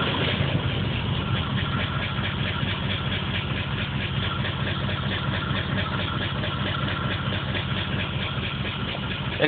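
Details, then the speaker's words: Engine that had black fuel-soaked plugs, P0300 code: lumpy, irregular stumbling idle with muffler and floor shaking; random misfire, cause unknown. "that's how it was running last night before i did anything muffler's shaking violently you even see the floor shaking"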